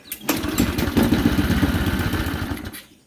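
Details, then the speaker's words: Briggs and Stratton engine for an airplane project after a new oil flicker was fitted, the old oil port plugged and 12 oz of 10W30 added: primed, it catches at once and runs with an even putter, with no oil leaking. "ready to start it prime it that sounds real good no oil is leaking"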